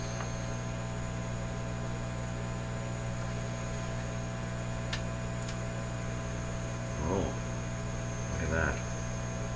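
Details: Canadian Admiral J104X/J105X console tube amplifier, grounding capacitors removed yet each channel still oscillates at its own frequency, screaming through output transformers into 8 ohm speakers: loud steady low mains hum with thin high whistle on top.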